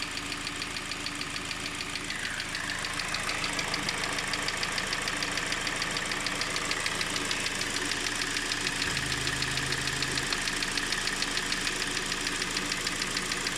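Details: Engine at idle: steady, evenly spaced knock about three times a second over smooth running; engine knock, cause not pinned down.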